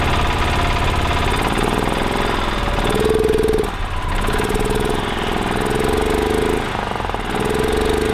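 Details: 1985 Club Car DS gas golf cart single-cylinder engine, previously crank/barely-start-then-die, first start after carburetor cleaning with airbox still off: fires and settles into a steady, even chug with brief rev dips; running normally.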